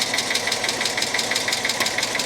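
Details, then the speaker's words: Cheap auction Hyundai Accent bought as a mechanical-damage car: sharp, light ticks at about six per second over a steady idle persist after startup; the engine is not misfiring, and the cause of the top-end tick is unknown. "Man, I really thought that once we fired this thing up that that ticking noise was going to go away. I really did. I guess not."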